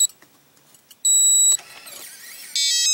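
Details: New RV Lock keyless entry door handle; two piercing high-pitched beeps from its small piezoelectric speaker when keys are pressed and during the locking cycle, with quiet clicks between; overly loud keypad beep, before muffling it with tape.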